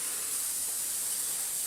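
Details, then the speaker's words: Small air compressor not holding pressure: steady high, thin hiss of escaping air with the motor not running, from a split rubber diaphragm in the pressure switch. "okay now yeah definitely leaking there somewhere and I'd say it is the diaphragm that's under there"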